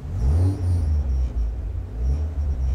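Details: Aftermarket Hushpower muffler with Y-pipe fitted for better mileage: deep, booming low rumble that swells and fades with the revs, no crisp top end, too loud and droning; loud aftermarket muffler exhaust rumble.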